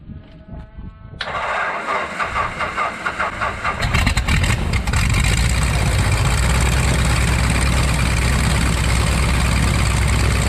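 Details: 1933 Great Lakes biplane, 165 hp Warner Super Scarab seven-cylinder radial, first start in 54 years after a 12-year restoration: starter whirs briefly, then it catches with a ragged burst and settles into a steady, even, deep idle; healthy start.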